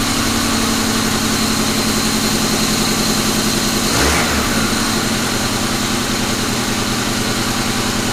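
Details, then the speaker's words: Rebuilt 1999 Grand Am GM LD9 2.4 Quad 4 on first start-up idles steadily under a coarse, constant grinding from the AC compressor clutch on the serpentine belt drive. The compressor, whose shaft seal also leaks, needs replacing. "that ac compressor needs replaced it's really grinding in that clutch assembly but the shaft seal is leaking on it so i was going to replace that anyway"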